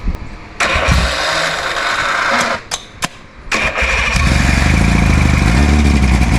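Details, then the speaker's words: OMC V-4 two-stroke outboard, first start after 5+ years sitting, choke on: a few violent cranking bursts catch, then uneven burbling run with smoke; rough running after long storage. "Guess that's something. That sounded violent."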